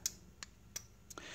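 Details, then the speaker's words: Sharp, dry clicks from a Gate1 gate opener receiver relay on the second remote button press after pressing P1, confirming the remote is registered; normal. "You will hit the button on the remote control you want to program one time, and by the second time you hear the clicking noise. That means it registered the remote on the receiver, as you can hear there."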